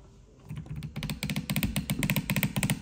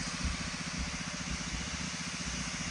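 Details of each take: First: Shark steam mop model S3601 with a cover piece removed, filled with water: quick even clicking pulse near four a second, rattling; owner suspects the pump motor, which also pushes out excessive water. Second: Shark steam mop model S3601 after disassembly and reassembly to fix a month-long loud weird noise while steaming: now a soft steady hiss with a faint low pump pulse, no rattle or buzz; noise gone, steaming normally.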